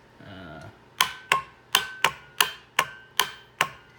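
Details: 1995 Sea-Doo GTS that won't start, during reassembly: sharp metallic clicks about eighty a minute, unevenly spaced, with no cranking; source unknown.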